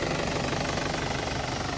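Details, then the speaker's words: 2005 Isuzu D-Max 2.5 Ddi turbo diesel, original engine, 112,296 km: even diesel clatter at steady idle, no knock, miss or hunting, no blow-by or oil spray at dipstick; soft, healthy engine. "เครื่องไม่มีไอเลยครับไม่มีน้ำมันกระเซ็นเลยนะครับเสียงเครื่องยังถือว่านิ่มๆเลยครับ"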